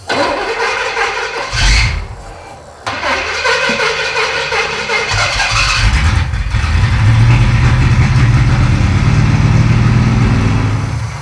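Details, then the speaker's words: 1937 Pontiac junkyard car with new mechanical fuel pump, old battery charger connected: starter churns steadily several seconds without firing; crank no start, no fuel reaching carburetor, second pump failed, suspected missing fuel pump eccentric or wrong pump. "that's two fuel pumps that don't work that's telling me that like there's no fuel pump Ecentric inside the engine for some reason or we got the wrong pump or who knows what"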